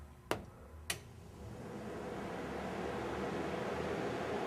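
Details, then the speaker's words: 1968 Firebird restoration, ECM commanding cooling fan relay one (low speed) through a scan tool: two sharp relay clicks, then a soft rush of air that builds and settles steady. The low-speed cooling fans run normally. "alright good so the low speed is on turn them off"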